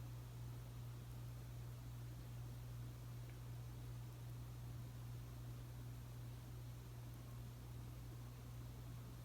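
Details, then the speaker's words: Casablanca S3 ceiling fan (rated 180 RPM on high) on high with new capacitor, seemingly slightly faster than in 2015; old capacitor possibly already weak: soft steady low hum, even airy whoosh, no ticks or wobble; normal. "It actually seems to be a little bit faster than it was when I turned it on high for the first time in 2015. So maybe the old capacitor was already a little bad."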